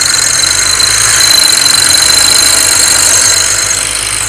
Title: 335i strange noise ?